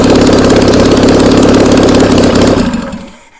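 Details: Old VW Beetle engine sat about two years, on a start stand, fed fuel from a squirt bottle: quick steady firing beat at crisp even idle for a few seconds, then winds down and stops; runs healthy.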